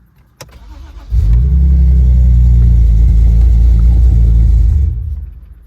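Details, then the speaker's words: 2005 BMW 3 Series E90 2.5L with a no-drive/no-reverse transmission fault and a missing DSC wheel-speed code. A brief crank, a steady idle for about four seconds, then it stalls. Owner suspects timing chain issues given misfires and a cam/crank correlation fault. "Wow, so that's not good. It just completely stalled. Strange."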